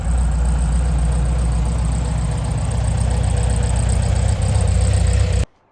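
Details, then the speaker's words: 1964 VW Beetle, unused for almost 20 years. Steady, even low chug from the flat-four with no knocks, misses or rattles: normal running. The clutch does not work; a slack clutch cable was found. "The engine seems to run sweet as a nut, which is great news, but the clutch doesn't work."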